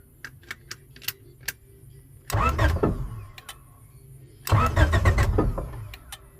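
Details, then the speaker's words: 1996–2000 Honda Prelude/Accord/Civic (H22) no-crank no-start, bought non-running: light main relay clicks as key turns, then two short cranking bursts that never catch; owner traces it to a broken wire powering the main relay. "Um, here's your main relay. Um, but you just heard it clicking."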